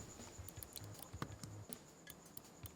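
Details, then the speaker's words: Pwnage Max CF carbon-fiber mouse, one month in: irregular sharp clicks with a soft crunchy creak under a normal grip near the scroll wheel; the button creaks and crunches there but is fine pressed higher up. "And you can hear, even with my normal grip, without any additional pressure, you can probably pick up the creaking from the mic."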